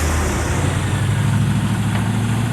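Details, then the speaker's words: 2001 Chevy Silverado K1500 4x4, 4.8L V8, idling with belts back on: rough, uneven chatter in the low rumble, found to be a chattering AC compressor by removing the belts. "so that sound that you hear is an ac compressor that's like kind of chattering noise"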